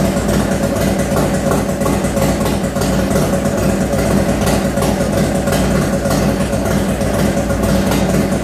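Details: 1995 Harley Heritage V-twin, first run after rebuild: Screaming Eagle heads, bored cylinders, Wiseco pistons, Woods WH6H cam, heavy valve springs, Daytona Twin Tec ignition, Mikuni 42 carb; deep, loping, steady idle with no knocks or ticks; healthy.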